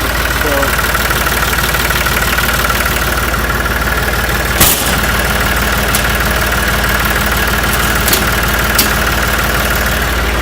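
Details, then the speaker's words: Ranch diesel tractor with hard starting, fired after hammering the starter solenoid: loud steady diesel clatter at idle holding an even beat without stumbling or dying; engine healthy. "I just took a hammer and beat on the starter and the solenoid."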